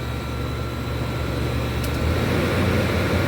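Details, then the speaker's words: Whirlpool Designer Style 25,000 BTU window air conditioner, R22, factory Bristol reciprocating compressor, first startup: steady low rumble with even hum and faint tick, no knocking or rattles; running normally, discharge hot, suction cool. "Nice rumbly Bristol. That was a great startup."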